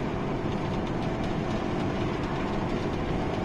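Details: Mazda 6 2.0 diesel manual gearbox driving in fifth gear: steady rough droning rumble with harsh growl under road noise, also in first and second, fine in third and sixth; gearbox noise, play felt, gearbox replaced.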